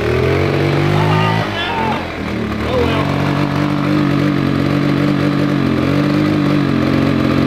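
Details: 150cc full-suspension go-kart single-cylinder engine after revival, throttle being adjusted: small buzzing at steady mid pitch that dips, settles and holds; normal running.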